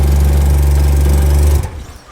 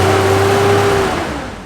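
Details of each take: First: Mazda Cosmo rotary, a rare JDM car, in low gear: loud deep steady engine note suddenly cuts out after about 1.5 seconds when given gas. Cause suspected, not confirmed; boost solenoids to be addressed next. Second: Mazda Cosmo rotary, a rare JDM car, after reconnecting a fuel line found off the fuel pump: steady low drone with faint tone, revs easing smoothly to idle; sounds like a normal car, little smoke.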